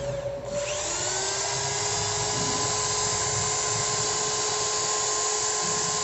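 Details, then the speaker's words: Ryota 2010VR 10mm drill fitted with an MT60-type substitute armature after large brush sparking: spins up quickly to steady, even high whine with no rattle or stutter; only slight normal sparking, healthy motor. "nah ini dikit banget ya pengapianya kalau segini normal guys yang penting pengapiannya Tidak besar seperti tadi"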